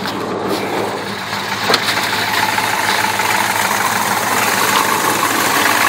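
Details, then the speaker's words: 1995 Dodge Dakota club cab with a professionally built 390 stroker and Hughes Engine aluminum roller rockers, just started after double fuel-pump prime: steady, even deep V8 idle exhaust note, no knocks or misses; normal healthy idle. "I don't know how the sound is on this, what you can hear, but that's the idle exhaust note. There's the motor running."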